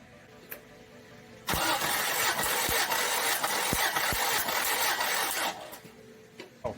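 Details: 1990 Toyota 4Runner 22RE compression test on cylinder four, after head and cam replacement and cam break-in: even cranking at about three beats a second for four seconds with no firing; readings within spec. Normal compression test cranking.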